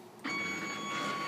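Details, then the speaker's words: New Stepcraft 840 CNC homing after tightening the axis fasteners: sudden harsh scraping with steady high stepper whine; grinding on the rail, suspected from the tightening, not confirmed. "because I tighten those things and the way it sounds that that did not sound good that does not sound good my friends"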